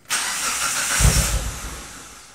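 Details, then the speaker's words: 2004 Mitsubishi CH Lancer, fuel filter change: started with fuel pump disabled so it would stall; engine catches, runs rough about a second, then dies as fuel runs out, a starve-out stall, then cranked to clear the line. "well it didn't last very long so once it stalls after we've started it it says that we want to crank it for around five seconds to make sure all of the fuel is out of the line"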